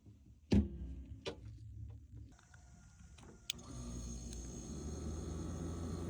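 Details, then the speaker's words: Frigidaire refrigerator (R600 refrigerant) that would not run, just after the timer repair and plugging in: a couple of clicks, then the compressor starts with a low, steady, even hum. "Then we're going to be turning on the unit. It is turned on. And as soon as we plug it in, you'll hear the compressor."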